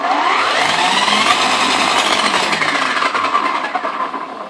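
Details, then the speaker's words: HPI Baja 5B Flux electric RC car rolling forward slowly: steady motor whine with faint quick clicking ticks, heard only when driving forward, not in reverse, and louder on the street; drivetrain click, cause not yet found. "Okay let's listen to the sound because I hear something clicking I don't think it's right so first we're going to roll to the front slowly"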